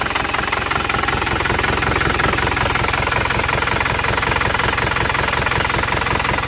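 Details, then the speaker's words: Isuzu Panther LS diesel as it arrived at the shop. It idles with an uneven, limping knock of about 160 a minute and one cylinder dropping out. The mechanic suspects a severe compression leak, though other causes can also produce limping. "kelihatannya ada yang enggak ngangkat satu oke kemungkinan sudah ada yang bocer parah kompresnya ini"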